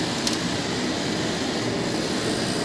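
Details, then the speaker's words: Diesel/kerosene shop heater run from a 400 W modified sine wave inverter on a 23-year-old car's battery; the fans run as loud and fast as normal, then the igniter fires and the flame lights with a steady, even roar. "the fans sound like they're exactly as loud running exactly as fast as they would normally"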